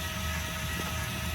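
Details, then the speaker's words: 2022 Mesa Ridge S-Lite 262RL travel trailer, rear electric stabilizer jacks lowering one at a time, which is normal: steady even motor hum with faint gear whine throughout, no straining. "You can see it's going down one at a time. That's completely normal. Once that far one hits the ground, it's not going to pick up the unit at all."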